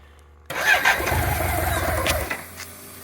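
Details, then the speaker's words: 1985 BMW K100 motorcycle after fire damage, sitting 6 years and a fuel injection relay fix: catches at once after a short crank, flares, then settles to a steady even idle; starts and runs fine, throttle may need adjusting. "Looks like I might have to adjust the throttle. We have a runner."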